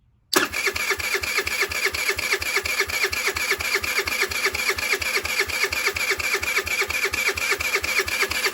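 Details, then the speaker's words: 2007 Diamo Retro 50 GY6 scooter with a newly installed intake tube. The fuel petcock works and there is fuel in the system, but it won't fire though it ran days earlier. Starter churns evenly about five beats a second for eight seconds. Crank, no start; cause unconfirmed. "Well, it's not firing for some odd reason. Well, fuel petcock works. We know there's gas in the system, but it's not firing now."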